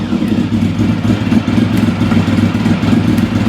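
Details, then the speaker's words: V4 engine idling on choke after standing about four years: steady, even burble with no misses; a ticking noise heard earlier, cause unknown; normal idle, runs sweet. "That sounds sweet, doesn't it?"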